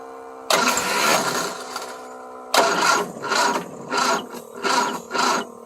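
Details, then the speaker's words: 1975 Triumph Spitfire after smog delete, valve adjustment and fixing a reversed ballast resistor: fires instantly, runs strong, clean throttle blips; timing still out. "she fires right up and purs like a kitten"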